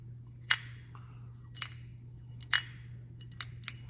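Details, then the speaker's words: Carburetor from a 1991 Polaris 440 Sport, floats previously stuck, now cleaned: light, irregular clinks and taps about once a second as the carb is shaken over a low hum, showing the floats move freely as they should. "That's the way they're supposed to move. Clean them up."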